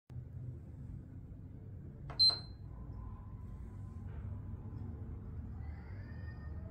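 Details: PS3 console with a fault, switch-on attempt: one short high double beep, then only a faint low hum with no drive or fan spin-up; won't boot, cause unknown. Console fails to power on.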